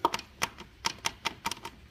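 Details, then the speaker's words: PT Cruiser engine at TDC with the front cover off, timing belt extremely loose and stretched almost a tooth off: turning the crank by hand gives sharp, uneven plastic ticks as the slack belt slaps the cover and its teeth ride off the sprockets. "every time the crank rotates you could hear it hit the plastic in the bottom here and then whenever it rotates you could hear the teeth head off of here and the belt head off of here"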